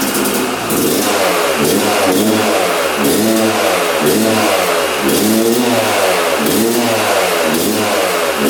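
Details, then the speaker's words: 1997 Yamaha YZ250 two-stroke, previously non-starting, on choke with fuel on: fires first kick, revs up and down about once a second, only keeps running on throttle, never settles to idle; will not idle. "She fired right up. I'm not sure how it fired, but that was literally first kick. What the heck? That is so strange. It's not idling though, so let's try to get this thing to idle."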